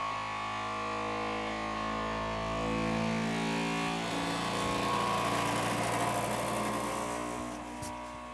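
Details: Elegoo Centauri Carbon 3D printer during initial setup calibration, mic placed close: loud stepped tones shifting from buzz to hum, a normal vibration calibration sweep, noted as very noisy.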